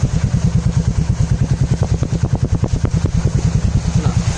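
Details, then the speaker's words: Bike that previously would not start after rain now starts on the first try in heavy rain and idles steadily, an even single-cylinder thump of about three beats a second with no missing or stumbles; normal idle. "വണ്ടി പക്കാണ് പക്കയായിട്ട് start ആവുന്നുണ്ട് missing ഇല്ല ഒന്നുമില്ല"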